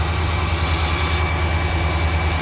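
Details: 1992 GMC Sierra C1500, 350 TBI V8, 242k miles, just after replacing the failed water pump and refilling coolant: smooth, even idle with steady pulse, no bearing growl or squeal; pump and pulleys sound healthy.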